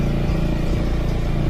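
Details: Yamaha Xmax scooter at 14,000 km running unloaded: even, low-pitched running with a steady pulse and no rattle, which sounds normal; a rattle appears under torque, suspected from a loose head plate bolt holding the camshaft.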